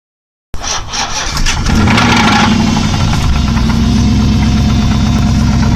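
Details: 2005 Chrysler 300C 5.7 Hemi cranks, fires and settles to idle with a steady, fast knocking beat riding over the exhaust; engine knock present, source not pinned down.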